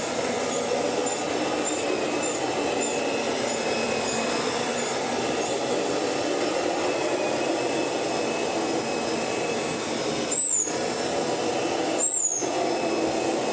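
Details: Kirby Sentria 2 vacuum after full strip-down, cleaning and restoration, running during carpet shampooing demonstration: smooth, even high whir with no rattles or grinding; normal running, sounds healthy.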